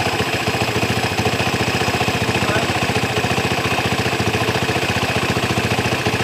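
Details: Honda Tiger motorcycle, hard to start when cold, after carburettor setting: even, steady putt-putt at idle with no hunting, hiss or stumbling; the engine idles smoothly and holds its speed.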